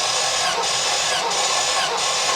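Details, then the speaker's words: Classic VW split-screen camper van, four-cylinder, compression test with gauge: starter whirs with even, regular dips as each cylinder comes up; readings around eight, equal compression on all four cylinders, acceptable. "we've got an equally average compressed equally average compression on all four cylinders I'll take that"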